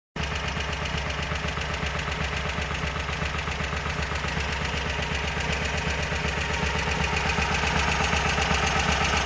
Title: VW Squareback engine knock.